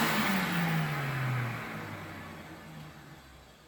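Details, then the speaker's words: 1979 Electrolux Z96 vacuum cleaner, before servicing, after four or five minutes of running: the motor whine falls smoothly in pitch as it spins down, with no grinding or rattle; it sounds healthier after the longer run. "that actually sounds a lot better when it winds down from having it for a bit longer"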